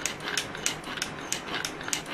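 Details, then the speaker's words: Mercedes S420 throttle body (with ASR) energized on the bench after repair and cleaning: crisp, even clicks about three per second with light gear whirr and a slight hum. It works normally, with no abnormal noises. "it does work, no problem. So this unit is good to go, works nice. I have no issues with it. Cleaned up. No noises, nothing abnormal."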